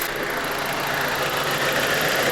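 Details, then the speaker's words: BMW E87 N45B16 after VANOS replacement. Even idle with only a light, fast injector tick and no camshaft rattle, so the engine sounds healthy. The owner is surprised, since a replaced VANOS had started knocking again before. "Пусть форсунка стучит, к черту все это. Главное, чтобы распределительный вал не дребезжал."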